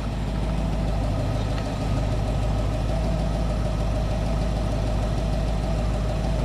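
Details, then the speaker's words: 1967 Ford Mustang with a rebuilt Holley 2300 2-barrel carb, warm idle while the idle mixture screw is turned for peak vacuum: the steady idle sags and stumbles, then comes back up a little, as the mixture goes too lean. "it in right now starting to stumble come back up a little bit"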